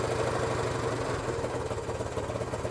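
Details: 1972 Honda CT90 K4 after carburetor rebuild, first kick start: small single thumps at idle with a slightly lumpy, wandering beat; idle unsettled, owner says carburetor needs adjusting.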